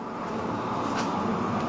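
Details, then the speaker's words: Furnace blower after HVAC install, started on high: smooth, even whoosh of air with no rubbing, ticking or wobble; healthy blower, though bad noises from below followed shortly after. "good sounding blower nice and healthy probably lasts for a thousand years come on"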